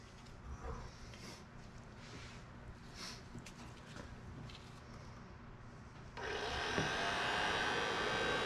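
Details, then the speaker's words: Datsun 521 pickup heater box restored and heater core replaced, resealed: after handling noise the blower runs with a steady, even rush of air, no rattle or squeal, strong airflow and no felt leaks; normal blower operation. "i got pretty good air coming out there and when i close this up yeah i've actually got really good air coming out i really don't feel any leaks"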